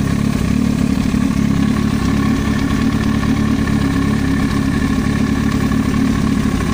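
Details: Yamaha YZF-R1 idling: light, fast clatter riding over the engine note, ticking from the cylinder head; engine top-end knock.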